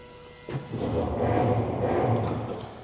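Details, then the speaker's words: Ford Model T sitting unused for years, first start attempt: starter engages with a clunk, then slow labouring whirr that never picks up speed; very stiff cranking, owner suspects friction in the transmission. "so we are getting some movement out of that engine but you can hear here it's it's super stiff still so I'm thinking what's happening is we're still getting some friction I'll say in the transmission that's holding us up"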